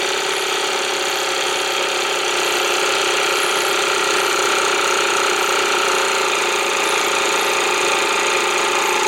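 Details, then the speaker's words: Air compressor with brushed motor slowed on BN-LINK plug-in variable fan speed controller (4.8 A, 600 W), starting from highest then slower; steady even motor whir with thin high whine, no knocks, healthy. "I want you to hear the difference in the sound as we make it slower and slower now there is no practical application in this particular case unless you're looking to reduce the noise"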